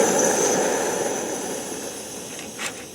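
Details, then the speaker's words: MSR WhisperLite backpacking stove just after the fuel valve is shut off; steady burner roar softens and fades over a few seconds as leftover fuel burns off, normal shutdown before cooling down. "wait for that to die out now you want to give this thing a while to cool down"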